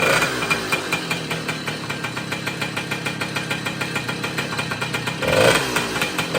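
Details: Restored 1966 Wards Riverside (Benelli) 50cc two-stroke moped, rebuilt after seized bearings, first start with fuel turned on: quick, steady popping beat, briefly picking up near the end; runs evenly and sounds healthy.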